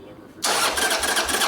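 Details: Harley motorcycle, light choke, one throttle pump, clutch lever pulled: steady fast starter churning, engine spinning over but never catching; suspected fuel not yet reaching the carburetor, unconnected vacuum line found at the filter; crank no start, cause unconfirmed.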